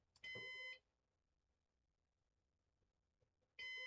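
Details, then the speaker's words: Used Synology DS418 NAS during first setup: two high beeps about three seconds apart in a silent room; repeating alert, owner guesses it beeps because it is in setup mode, cause unknown. "It might be just beeping because we're in setup mode currently. I don't really know."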